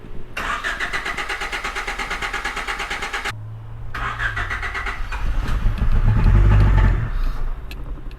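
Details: Car that began misfiring and died the day after a DIY oil and filter change: starter churns steadily for three seconds, then a rough stumbling attempt that sags away without idling; crank, no start.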